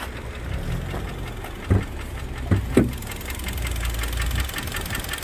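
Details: Kia Sportage 3 2.0 G4KD engine, under 105,000 km, before overhaul, warm idle: sharp metallic knocks about once a second over a low steady rumble; deep internal engine knock.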